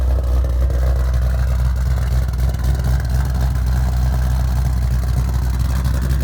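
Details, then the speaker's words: Ford Shelby on E85 with GBA long tubes, off-road X-pipe and Magnaflow axle-backs, back running after two years of motor problems: deep, loud V8 rumble at steady idle with even pulses and no misses or ticks. Normal idle. "so there you have it pretty much it sounds good runs good"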